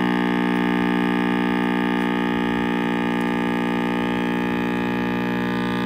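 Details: RCA Victor X551 vintage tube radio at first power-up after restoration and power cord rewiring: loud steady low even buzzing mains hum; owner suspects last-soldered filter capacitor, reading unconfirmed.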